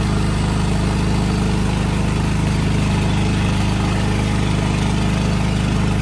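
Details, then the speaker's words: Craftsman DYT 4000 riding mower twin-cylinder engine; deep, lopey idle with every other beat missing; running on one cylinder. "I think I am going to pull the other spark plug boot off because I don't want it to start. And we know it will start with one plug."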